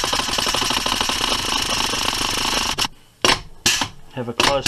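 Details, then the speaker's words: Serviced Metropolitan Vickers/GEC 1927/1955-type electro-pneumatic unit switch (motor group switch from U2), cycled repeatedly on air and 120 V DC: rapid clacking with sharp air bursts, contact closing square, crisp positive action; only slight inlet leak noted; normal switch action. "look at the action of the switch make sure the contact is closing on the Square with the top nice positive action"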